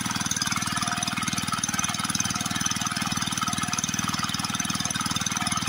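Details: Villiers MK12 single-cylinder water-pump engine after carburettor cleaning and a new air filter: quick, even firing beat holds steady with no misses or surging; running normally.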